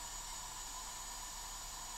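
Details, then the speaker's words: Eco6-10 balance charger charging a 4S 10,000 mAh pack at 10 A (168 W) indoors, at 140° and about to hit thermal cutoff: a thin, steady high-pitched coil whine over a soft fan hiss under high load. "So, you can hear it whining. Um, which is pretty annoying in these chargers."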